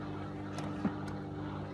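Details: Hotpoint WMA50 washing machine on a test wash after a new suppressor was fitted, draining hot dirty water from the first wash with the pump area warm; a quiet, steady, even low hum with no rattles or grinding shows normal drain pump operation.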